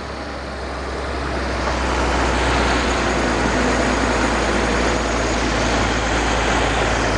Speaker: So that's good. Sounds like it's idling a little fast. But she is running.